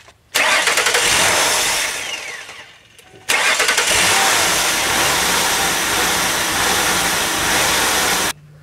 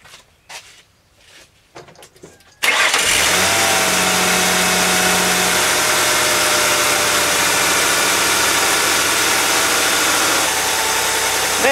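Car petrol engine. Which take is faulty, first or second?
first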